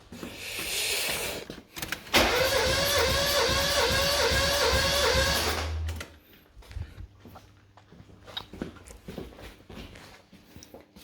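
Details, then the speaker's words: Mazda 323F 1.5 after head gasket failure, with a second-hand head (valves lapped), new head gasket and bolts; compression test on cylinder 1 with plugs out. Steady cranking about four seconds with no firing, reads about 100: lowest but still compression. "that's 100. So I mean, it's not the worst. It's still compression, which is a good thing."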